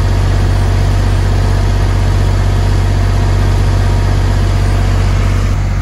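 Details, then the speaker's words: Newly acquired used diesel generator for a bus conversion, started after upgrading battery cabling, idling without load: low, even rumble with steady firing beat, no knocks or misses; very quiet, smooth. "wow that thing is quiet but i'm sure you can hear me okay that's the quietest generator i have ever had and it's it's a low rumble"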